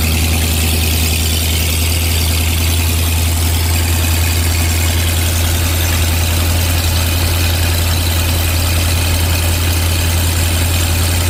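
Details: 1986 Ford F150, 351W V8 with ZF5, just fitted with Holley Sniper EFI and HyperSpark distributor, running after distributor re-clocked (was one plug off); deep, even idle with steady low rumble, no misses or knocks; normal idle.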